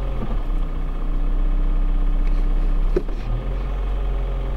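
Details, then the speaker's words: 2007 Toyota Avensis 2.0, cold engine idling in gear after replacing timing-side engine mount: steady smooth low hum, the previous roar and vibration gone. "Да двигатель холодный но того рёва который был нету"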